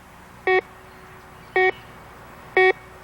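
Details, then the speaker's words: 1991 Garrett Ultra GTA metal detector pinpointing a coin identified as a quarter (a 1963 silver quarter): three short bright tone bursts about a second apart as coil sweeps one spot; clean repeatable target signal. "you can see by the Target ID guide above the top scale that we've found a quarter"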